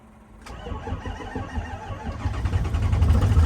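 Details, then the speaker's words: 1973 Ford F700 truck with an old, worn 6-liter diesel, cold start in the snow: the starter catches after half a second, then a rough, lumpy idle builds and steadies into high idle with a deep clatter; a normal cold start. "Not too bad for an old wore out 6-liter. We're gonna let this thing warm up while we go warm up."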